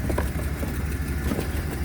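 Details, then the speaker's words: 2005 Chevy Express 2500 6.0 V8 after new starter replacing bad one (slow crank with new battery): low, smooth, even idle with no knocks, misses or starter noise; runs as it should. "and obviously the car is already running that's the way it should sound okay so that's the way it should sound fine"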